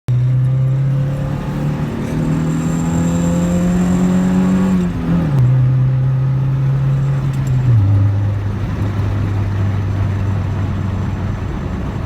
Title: Misfiring At 6k